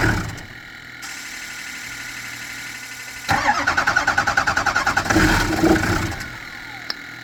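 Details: 2007 6.0 diesel: starter turns engine over at a steady rhythm for a couple of seconds but it never catches; crank no start, cause unconfirmed.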